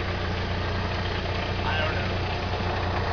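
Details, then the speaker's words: Intermittent rattle at idle on a 1998 Chevy S10 2.2L petrol, heard most near the muffler and transmission underneath, coming and going, started that morning with the truck shaking; a busy rattly clatter over the low steady idle drone. "I'm having this issue with the noise that I started this morning it's kinda like near the muffler and the transmission is where I'm hearing it the most it's kind of going in and out"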